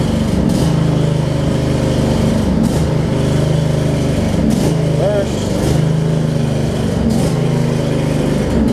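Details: Craftsman riding mower with Briggs V-twin, riding after shift hub and seized brake repairs; steady, even drone with no misses, knocks or surging throughout. Normal running.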